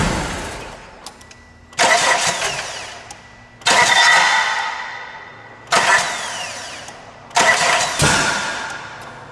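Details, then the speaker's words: 1996 Mitsubishi Eclipse: four dragging, sagging cranking bursts; voltage drop test shows almost 3 volts lost in the battery-to-starter cable with cheap terminals; slow crank from high-resistance battery cable. "I even saw in the footage that I just reviewed almost 3 volts was being lost in that cable that runs from the battery down to the starter"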